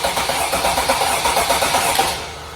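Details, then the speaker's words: 2017 Freightliner Sprinter 3.0 L diesel that shakes, loses power and shows a check engine light despite two new injectors: cranking at about eight pulses a second with a subtly lopsided rhythm, pointing to a mechanical low-compression cylinder. "ah now I hear it I couldn't really hear that at first we have a mechanical problem with this engine when it's cranking"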